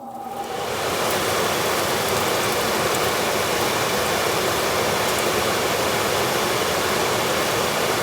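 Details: HVAC unit blower, bottom-mounted motor, started with the cover off after a reported squeal from the vents that could not be heard with heat and fan running; motor spools up within a second into a steady rush of air, no squeal or whine, starts normally.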